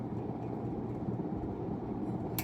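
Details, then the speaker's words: 1991 unknown-brand 42-inch hugger ceiling fan on first test after install: steady low electrical motor hum under the fan run, no speed change; noise went away when the light was switched on. "Put that light on, that noise went away. Isn't that something?"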